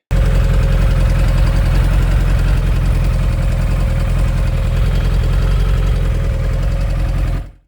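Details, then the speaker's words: Kawasaki ZZR1100 four-cylinder motorcycle idling steadily with a light, quick ticking over the exhaust beat; owner suspects loose exhaust headers from stainless studs that keep loosening; not confirmed. "So as you'll probably see in the next clip that she's sounding just a little bit ticky."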